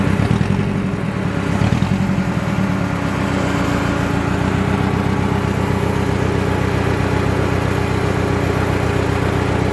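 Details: Budget Mercedes-Benz project car first start after cleaning corroded terminals, no exhaust fitted: loud open-pipe idle with a lumpy uneven beat, one cylinder repeatedly dropping out; misfire.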